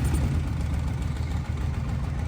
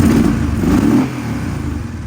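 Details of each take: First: Kawasaki KFX700 ATV fires right up and runs with a rough, uneven low thump and clatter; a head gasket is floated, then doubted because it's full of coolant, so the cause of the clacking is unclear. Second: Kawasaki KFX700 ATV V-twin after fixing a short (dead battery, fuse shimmed with wire); earlier it was not firing on the front cylinder. A crisp rev blip settles to a smooth, even idle with no misfire: normal running.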